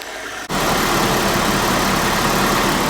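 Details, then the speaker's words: 1997 Audi 2.8 V6 with 145,000 miles, just started after a temperature sensor replacement: a steady, even idle with a smooth hum and no knocks or misses, warming up. Normal idle, and the new sensor is not leaking. "listen how good she sounds yeah 2.8 little V6 motor and looks like our sensor's good we're not leaking"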